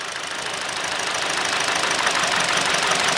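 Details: Hyundai/Kia 2.0 engine after timing chain replacement idles unevenly, chuffing and stumbling near stalling; unplugging coils shows two cylinders misfiring, since the engine stays the same on one and worsens on a good cylinder.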